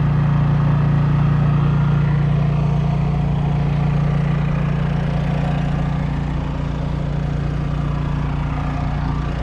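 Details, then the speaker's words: Honda EU3000is inverter generator for a travel trailer, heard outside while powering the trailer's air conditioner: strong steady low drone, even beat near 195 per minute, level under AC load; normal running under load. "So let's go outside and we'll check out the generator running. It's doing its thing."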